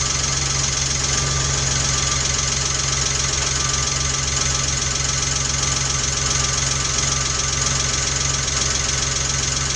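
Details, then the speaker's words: 1993 Geo Metro, freshly restored engine on first start, timing not yet set: busy, even ticking clatter of about four taps a second from hydraulic lifters not yet pumped up, quieting within minutes. "You just have to get all the hydraulics pumped up and they're going to claim for a few minutes so you can hear it quiet and all that good stuff."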